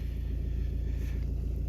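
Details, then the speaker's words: Volvo V40 driven at low speed in third gear, especially noticeable cold: deep pulsing drone caused by a worn dual-mass flywheel with excessive play. "é o defeito aqui do volante e massa que está com muita falta"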